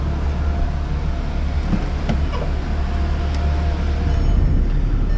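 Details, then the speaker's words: Volkswagen Jetta 2.0 with overheating problem, engine running with AC on and fan on high: steady even whooshing roar, both radiator cooling fans running normally, ruling out fans; radiator cap suspected as the problem. "Turn it on high. And then what you can see is look both of your fans are running. So you know it's not an AC problem."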